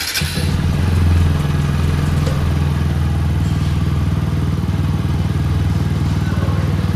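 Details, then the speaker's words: 2021 TVS Apache RTR 200 4V BS6 at 16,000 km, just after a warranty engine rebuild for tappet noise and a whining third gear: single-cylinder idle with an even thumping beat and no top-end ticking, noticeably quieter than before. "Difference बहुत अलग है बहुत ज्यादा difference है आवाज़ में मुझे typical mechanical sound था ना इट्स गान साउंड भी चेंज हो चुका है"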